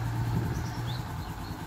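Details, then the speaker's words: Bajaj Boxer X150 with a worn-out clutch causing loss of power: idling, then clutch held and first engaged. The engine note rises and strains as the clutch is let out, but the bike barely moves until the lever is fully released. Clutch later replaced and oil changed. "when I hold on the crutch put into first you can I mean you can hear there is a change in the the motor voice but also when I TR to let go off the"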